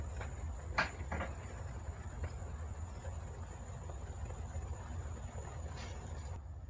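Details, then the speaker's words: Yamaha Jupiter MX motorcycle front wheel with rusted, loose bearings, giving irregular hollow "klotok" clunks over a low rumble. The bearings were diagnosed as failed. "Masalahnya seperti yang di awal video, ada bunyi klotok-klotok di roda depan. Ya, kita vonis langsung ini adalah kerusakan di bagian bearing."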